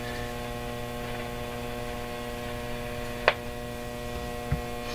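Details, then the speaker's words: RCA Victor 911KG tube radio set: loud steady buzzy mains hum with faint clicks, volume-independent, controls noisy; owner suspects DC through the controls, unconfirmed; mains hum. "That's a mean hum. Why are you humming so much? Kind of a buzzy hum."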